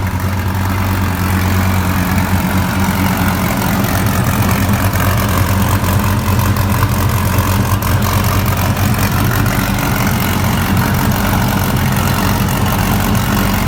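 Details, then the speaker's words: 2014 Dodge Viper TA V10, first start after a track collision and a battery swap. A loud, lumpy idle with sharp irregular puffs comes through the rumble: an exhaust leak from a cracked pipe. "oh my goodness guys sounds like a beast but we did hear a leak out of this pipe right here and there's actually a crack in it"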